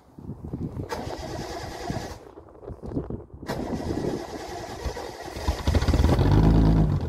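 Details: Triumph TR6 first start after winter refit; starter churns, catches after a stumble and restart, then settles into rising steady six-cylinder idle, healthy.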